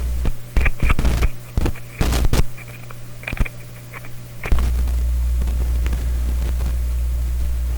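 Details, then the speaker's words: Clairtone console stereo with one phono channel dead: clicks as a clip lead is attached, then steady low mains hum into the phono input; touching the lead changes nothing. "i'm gonna put a clip lead on there continuous hum going i got around to the clip lead i'm touching it's not doing anything"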